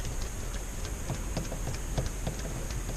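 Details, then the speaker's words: Harbor Freight Predator 2000 inverter generator installed in RV Onan cabinet, hand primer pump squeezed with fuel tank low: uneven soft ticking and sucking pulses as the primer pulls air instead of fuel; needs more gas. "you can hear it sucking air back there, so I'm going to town and get some gas."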